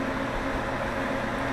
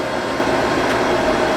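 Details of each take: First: Broadcast radio transmitter after replacing its ventilation fan: soft, steady purr from the small fan with no rumble or rattle over a quiet room hum. It previously rumbled; now working normally. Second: Harris HT 3.5 FM broadcast transmitter on air, small cooling fan on the back: steady rough roar with faint grinding edge and thin whine, failing fan to be replaced.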